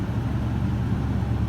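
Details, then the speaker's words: 2001 Toyota Tundra Limited V8 work truck with 241,787 miles, at start-up: deep, steady idle with even low rumble, no ticks, knocks or stumbles; fires right up and runs well. "Listen to it. Holy cow, thing runs good."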